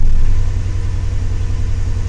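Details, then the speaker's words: Chevy Tahoe V8 that shakes on starting, at idle after codes were cleared: a deep, uneven lope with a stumble, the misfire still present, from a loose plug wire boot. "startup now and see if we fixed anything you'll have a misfire"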